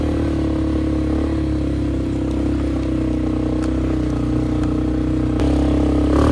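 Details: Flood-repaired 2001 Polaris Sportsman 500 HO on test ride under load with rigged, zip-tied aftermarket exhaust: loud raspy single-cylinder bark, even firing, no knocks; healthy engine.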